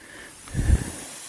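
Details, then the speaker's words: Micro hydro penstock during pressure test: steady hard hiss of water escaping under pressure with a brief low thump; leaking coupling, tightening to be tried. "here's our first leak it's got a tiny little stream right here you can see so i don't know if uh tightening that anymore will work or not"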